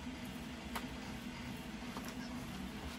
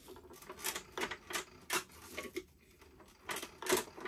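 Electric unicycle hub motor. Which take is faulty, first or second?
second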